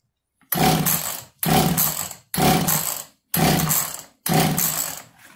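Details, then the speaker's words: Echo CS330T chainsaw, long-stored, new carburetor, flooded with gas and carb spray, strong compression, throttle held open: five short rough firing bursts that die at once; coughs but won't keep running, carburetor to be inspected. "So we're looking for a cough. Right now it's going from a flooded situation."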